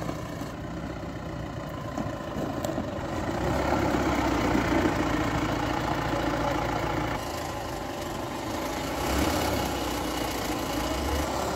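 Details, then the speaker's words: Mahindra Bolero pickup braking on the road after brake pad replacement. Steady engine and road rumble as it slows, with the earlier brake noise gone and no squeal or grinding; brakes quiet and working well. "आवाज बंद हो गई है और break भी ठीक लग रहे हैं।"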